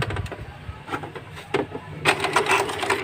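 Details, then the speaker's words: Epson L120 that had alternating blinking lights and a carriage that would not move, after a reset/initialize and power cycle: short whirs and clicks as the carriage travels on power-up. The lights stop blinking; it is initialising normally. "Alhamdulillah, dengar kan suaranya? Nah, itu merdu sekali suaranya. sudah keluar suaranya ini udah."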